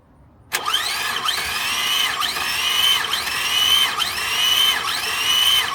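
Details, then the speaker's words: Engine compression test, injector disabled, throttle held to floor while cranking: starter whine with steady, even dips about once a second, no firing; readings about 155-160, pretty even across cylinders. ">> That's actually pretty even across the board. About 155 again."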